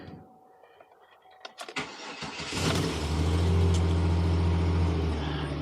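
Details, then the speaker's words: Salvage Copart auction car, mileage unknown (guessed 160-250k); V6 cranks briefly and fires right up, settling into a steady even low rumble, no misses or knocks, while dash warning lights go crazy; healthy start. "oh the lights on the dash are going crazy okay I she fired right up though"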